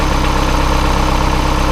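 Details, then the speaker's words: Boosted Miata after crankshaft pulley repair (loose hub bolts replaced, new alignment pin, timing set at 10°): even, low, steady idle with a smooth pulse and no clatter or ticking; the earlier noise is gone, normal idle. "so she is done complete uh fixed and it sounds great the engine sounds good it's not making that"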